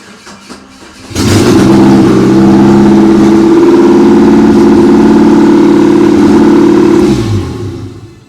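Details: 1993 Geo Tracker 1.6L 8V Suzuki engine after starter, water pump and head gasket replacement and valve adjustment: catches after a brief crank and runs steadily about six seconds before shutoff; sounds healthy, repair successful.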